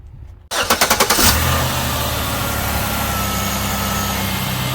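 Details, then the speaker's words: 2008 Chevy Impala 3.9 L V6 after alternator replacement: quick crank, catches within half a second, settles to an even idle with no belt whine or chirp; old alternator's noise gone, pulley straight and not wobbling. "the belt is working and rev it and see if that that noise is gone good the noise that the old alternator was making is gone and you notice the pulley is straight not uh not wobbling"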